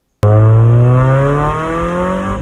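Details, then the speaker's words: 1997 Mazda Miata after replacing the straight pipe with a new stock exhaust: strong clean note rising and settling while revving, steady and even with no rasp or rattle; healthy exhaust. "So I kept things simple and installed a new stock exhaust. Here's what it sounds like."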